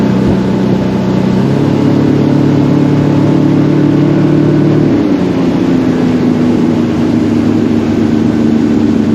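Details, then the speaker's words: Center console boat outboard, unused a long time, on plane with old gas at steady throttle: drone steps up then sags as power fades and returns; stale fuel surging, fixed by running it out and refilling with fresh gas. "so this is a video of uh the first day and you can hear the motor uh having plenty of power and then the power drops down and I'm not changing the throttle at all"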